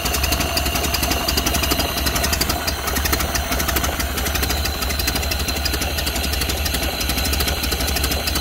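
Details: 1931 Ford Model A flathead four, 200.5 cu in, after sitting 67 years. Carburetor and internal filter cleaned after flooding; slightly choked. Low, slow, even idle with a steady soft chuff and no misses or knocks. Runs smoothly.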